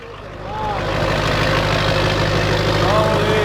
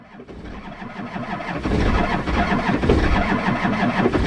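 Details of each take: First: Duramax diesel, nearly straight-piped, started after about 30 minutes of engine heating and a battery charge, first start after transmission install. Rises within a second to a steady even idle with an unbroken low rumble, no knocks or misses; healthy idle. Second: Cold Duramax diesel, just fitted with a transmission and nearly straight-piped, cranking long while a battery terminal is wiggled. Slow, labouring crank around three beats a second that builds but never catches; no start, cause not confirmed.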